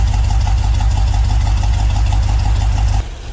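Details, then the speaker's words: LS-swapped GMC Vandura: deep, slightly uneven, lumpy idle pulsing about three times a second; a couple of original injectors not working, running a bit rough; new injectors ordered; rough idle from faulty injectors. "Well, it's alive. There's some fine tuning to do for sure. Yeah, a couple of the injectors aren't working, so I've got another fuel rail."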